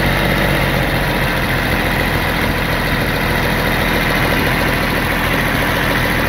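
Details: D-Motor LF39 six-cylinder 125 hp engine on a demo test stand: steady even drone at constant speed with no knocks or misses; healthy engine running smoothly.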